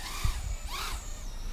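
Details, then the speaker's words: AuroraRC Mini Fight 110 FPV quad during a garden hover: the small motors whine with a pitch that surges and wavers, a wobbling buzz showing oscillation. "as you'll hear from that noises still had some oscillations here which wasn't good"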